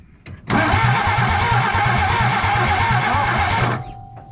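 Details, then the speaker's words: 1962 Ford F600, start attempt, points gap set to 0.025 in: starter spins the engine in an even chug, about three beats a second, for three seconds, never catching; no spark because the distributor rotor was left out. "i'm getting nothing at all did i not hook something up yeah i forgot something didn't i the rotor god what a dip"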